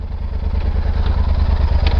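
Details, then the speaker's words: Yamaha Super Tenere at standstill in first gear with the clutch pulled in, rear wheel still spinning; low rumbling clatter with an uneven chugging beat; owner suspects the shaft drive, not confirmed. "that's not right that's not good it's like missing yeah I've never heard that that's what it's doing why the hell is it spinning with the clutch pulled up"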